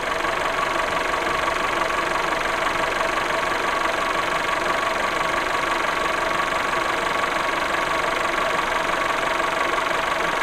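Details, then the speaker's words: VW Golf VI 1.4 TSI CAXA with a loud clacking, high-pressure pump suspected, after replacing small parts: idle with a thin metallic ringing chirp about three per second, still present; valve timing found off spec. "so beide wieder das gleiche klingeln ist wieder da"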